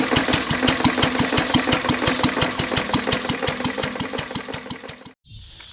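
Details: Lister throttle-fed single-flywheel engine, believed 1920s–30s, with magneto, idle set low; block also cracked with water in the oil: a slow idle with a heavy, regular knock every revolution, about three a second, a worn rod bearing.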